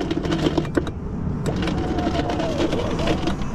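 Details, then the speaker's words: 2012–2015 Chevrolet Volt electric car, window not working: door motor whirs steadily with wavering pitch and rattle, glass stays put; motor, switch and wiring fine, power window regulator coming apart, likely broken plastic pulleys. "That's the power window regulator. It's coming apart inside the door, probably plastic pulleys and stuff that broke. So we know the motor works."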